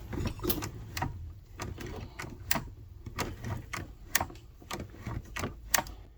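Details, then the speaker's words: Superba knitting machine racking handle, with the front bed creeping as if racked: crisp, uneven clicks every second or two as the spring-loaded ball snaps into its detents; normal, while a broken or missing spring gives no click. "That's the click you want to hear. But if that spring is broken, then the ball has nothing to hold it into that little cutout."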